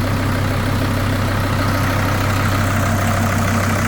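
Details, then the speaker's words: Kubota M125X tractor diesel just after new pushrods and valve adjustment, following fuel-filled crankcase: even, smooth idle with steady low drone, no knocking or rattle; blue smoke cleared, healthy idle after repair. "I'm sure that'll go away once it warms up. Sounds really nice now. Kind of hard to tell with sunlight now, but no more smoke."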